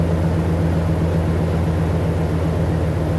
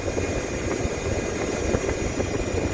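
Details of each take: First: Nissan 5.6L VK56DE V8 after the failed aftermarket AC Delco oil filter was replaced with an OEM Nissan filter and fresh full synthetic oil: picks up cleanly in a few quick revs and settles back, with no whine left over the exhaust. It runs normally. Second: Nissan 5.6L VK56DE V8 at idle: thin steady high whine over rumble, sounds like a bad belt, pulley or alternator, but caused by an AC Delco aftermarket oil filter failed after 2 months; fix OEM Nissan filter.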